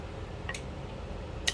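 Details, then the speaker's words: Solenoid valve test: two crisp clicks about a second apart as plunger snaps in and out with each on/off power switching; valve operates normally. "Offก็จะมีเสียงดังป๊อกป๊อกนะครับก็คือปิดเปิดตามจังหวะที่มีการจ่ายกระแสไฟฟ้าเข้าไปนะครับ"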